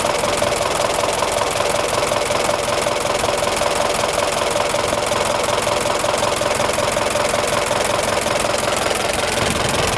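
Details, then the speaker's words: 1926 Ford Model TT ton truck, just started with a little choke and switched from battery to magneto: a steady idle with a dense, sharp, even clicking buzz from the coils, louder on the AC magneto; running normally. "I will switch her from Battery to Magneto and you'll hear the coils sound different they click louder the coils operate differently on the Magneto cuz it produces AC current"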